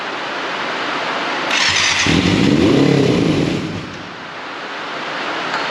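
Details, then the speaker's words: 1989 Yamaha FZR600 Genesis, not started in over four years, on old fuel: it catches and revs briefly with a stumbling, uneven beat, then sags back, misfiring as it fires up; cause not confirmed, new fuel planned. "little bit of misfire there i say we get some new fuel in this and actually fire it up properly"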